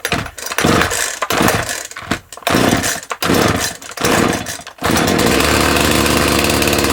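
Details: Owner's two-stroke chainsaw, unused for about two months and started on choke, said to sound like a little dirt bike: several sharp throttle blips, each dropping back cleanly, then a steady even idle; healthy.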